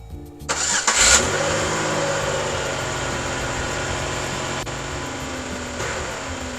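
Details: Pontiac after installing a new fuel pump: brief crank, then the engine catches cleanly and settles into a steady, even idle without misses or stumbling; it starts and runs fine.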